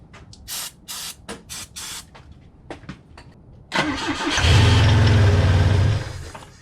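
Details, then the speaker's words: Volvo B20 engine after years of sitting, with fresh gas, a new filter and starting fluid in the carbs: short cranking bursts, then it runs about two seconds on starting fluid and dies. Strong spark and good air, so a fuel delivery fault. "the engine fired a little bit with starter fluid which means that we have strong spark it's getting good air"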